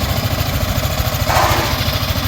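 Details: Yamaha Sniper 155 after water pump repair kit replacement and coolant refill: small single thumps at a quick, steady idle with no whistle or squeal, clean and even; the earlier water pump whistle is gone.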